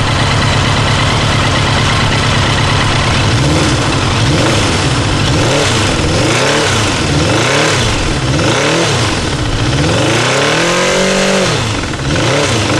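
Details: Kawasaki GPZ900R engine revved up and down with a harsh hammering clatter that follows the revs; stutters above 3000 rpm; owner asks what causes it; engine hammering noise, cause unknown.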